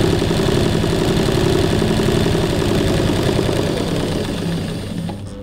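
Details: Singer 984 semi-portable sewing machine with front-load bobbin, running: a fast, steady, slightly coarse clattery chatter that slows to a stop. Normal for this machine, a bit rougher than other semi-portable brands.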